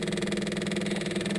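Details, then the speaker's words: Cat 259D after fuel lift pump install and new fuel filter: key on, lift pump gives a fast, even electric buzz and clicking with steady pulsing, no strain, filling the filter bowl; normal lift pump operation. "let's click this on and see if we hear that that clicking sound aha I can hear it from here there we go see that it's filling up that bowl down there and everything it's filling up this fuel filter"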